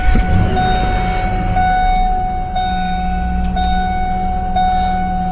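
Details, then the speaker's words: 2000 Ford Expedition 4.6 V8, roughly 30-40,000 miles, which stalls only in drive: low, even idle holding steady with constant high chime-like tone over it; engine runs smooth with no misses. "so there it is idling it's fine now if I put it in reverse absolutely nothing I mean it's just perfect idles"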